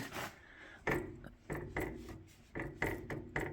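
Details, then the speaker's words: MK Martin Meteor rear-mount 3-point snowblower that rumbles when fully lifted: rocking the auger by hand gives a dull clunk about every half second with gritty rub; U-joint shows no play; owner suspects gears inside gearbox. "I'm going to rock this augur there's a little bit of slopping here and that seems to be transferring up all the way through and you hear that clunking that's inside the gearbox"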